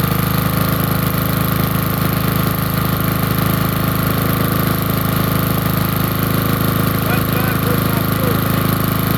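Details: Small generator on a very cold day, running with the air filter on (carburetor dislikes running without it): steady low chugging around 160 a minute, no misses or surging; idles normally once warm.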